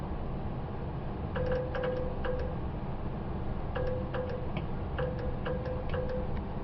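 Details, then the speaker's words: 1975 Datsun 280Z EGR vacuum solenoid, after cleaning a poor B+ bullet connection, drawing about 0.3 A: crisp clicks in bursts of two or three with faint ring, cutting off vacuum properly; switching normally. "you can hear that operation and that does cut off the vacuum I've already confirm that"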